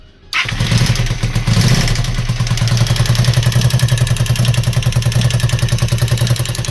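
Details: Honda VT250F V-twin with a replacement used (contract) engine: catches and settles into a steady run with a hard, even internal knock about three times a second; engine knock, cause unknown.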